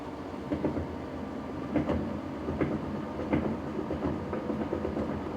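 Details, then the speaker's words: Trash-picked Whirlpool Cabrio top-load washer (WTW8900BC0) on high-speed spin: tub bearings quiet with smooth hum, drain motor audible, but an intermittent knocking/clunk persists, suspected loose bolt. "The tub is nice and quiet. You're hearing the drain motor right now, but if that tub was not quiet, that would suggest the bearing at the bottom was bad, which is a lot of work to replace."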